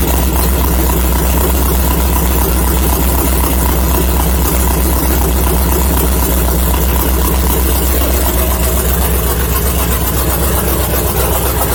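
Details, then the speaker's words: LS-swapped Mazda Miata after adding a few gallons of fuel, thought to be the problem (the fuel pump had been getting loud): loud, steady, even idle with no knock or misfire; still needs a tune, the thermostat housing weeps and the fan won't switch on by itself. "i think it was because the fuel pump was getting kind of loud and that sounds a lot better"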